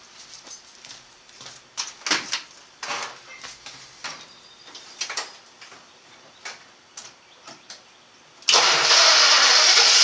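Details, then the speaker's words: 1954 Studebaker sedan, 6-volt system, after new larger-gauge battery cables; hot start after driving and a 15-minute heat soak (it used to barely crank hot): clicks, then it cranks fast and catches into a steady roar; normal hot start. "well it cranks just as fast hot as it does cold so i'm gonna say this was a success"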